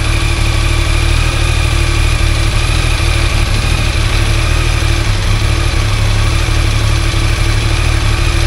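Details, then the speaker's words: Yamaha Tracer three-cylinder motorcycle idling: loose, irregular metallic rattle over the low engine beat, louder when the clutch lever is pulled slightly, as separator and friction plates open; clutch basket play suspected. "perceberam galera perceberam aí que todas fazem o mesmo ruído tá porque na hora que a gente aperta a embreagem eu tendo a abrir Expandir os discos separadores os discos de frição e o barulho aumenta"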